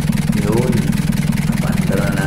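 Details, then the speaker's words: Old Toyota L-engine diesel (XLT) that hadn't started in a long time, no power to starter solenoid fixed by cleaning starter and repairing loose wiring; now starts in one click, steady even clatter with firm low throb, no misses, running normally. "lilinisan natin starter inayos natin yung mga kalat na wirings lang kaya ayan one click na"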